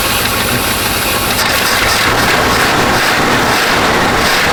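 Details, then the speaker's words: 1970 Chevy C-40 mechanics truck that sat 15+ years, just started after the ignition wiring was hooked up: a loud steady even V8 idle with a deep rumble and no knocks; it runs good. "it does run good. It sounds good. >> It really does."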